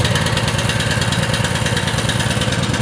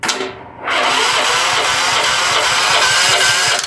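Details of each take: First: Small mower engine after diesel contamination, gas tank flushed and refilled with fresh gas but carburetor not disassembled: starts right away, even steady idle with regular firing, no misses or knocks; smoking a little, possibly diesel remnants. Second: Small single-cylinder gasoline power washer engine, after diesel was accidentally put in the fuel and cleaned out, starts, smokes a little and runs with an uneven, lumpy note, cuts out and restarts; leftover diesel makes it rough at first.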